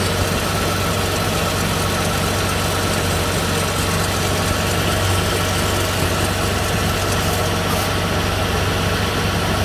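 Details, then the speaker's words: Serpentine belt replaced five months ago; after spraying belt dressing from below, steady even idle hum with no squeal or grinding. The squeak was likely just a dried-up or dirty belt, now quiet. "Okay, so seems like the belt squeak or the grinding noise from the belt is gone by simply putting the belt dressing over here."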